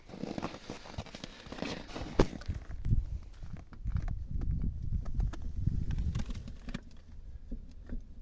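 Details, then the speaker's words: Lada Vesta front suspension, left side, tested by levering the wheel with a crowbar on a jack to imitate road bumps: dull uneven thumps and clatter. The knock comes from the strut rod; cause suspected. "он этот звук идёт от стойки от штока"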